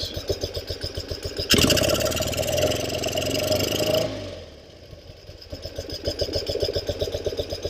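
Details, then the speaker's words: 1974 BMW R90S airhead motorcycle idling after a new crankcase breather valve install; rhythmic pulses with fluttery gobbling; the soft-metal breather flapper was installed upside down and vibrates, making the noise. "And that little flapper is what's making our noise."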